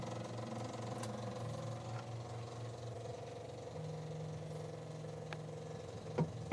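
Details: Suzuki Multicab with F6A carburetor 12-valve engine: starter churns a long while with an uneven rhythm before the engine catches, a long-crank hard start; base idle screw adjustment suggested as a possible fix, cause not confirmed.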